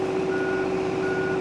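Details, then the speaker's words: 2024 John Deere 35P mini excavator, turning on the track levers: steady diesel drone with two half-second high beeps about a second apart; normal travel alarm, cancellable by button but returns after each stop. "while you're moving you hear that beeping you can click that and you're going to cancel it but anytime you stop start back up you're going to have to click it and cancel it again"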